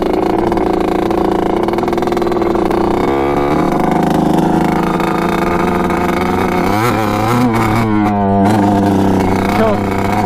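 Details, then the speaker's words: 1986 Kawasaki KX125 two-stroke on its first ride: revs flat and blubbery, never hits the power band, no power, seems fuel-starved; main jet missing. "when i took it up and down the yard a couple times it was perfect but then i hopped on it with the gopro and of course it just like does not hit the power band doesn't have any power sounds like it's not getting enough gas"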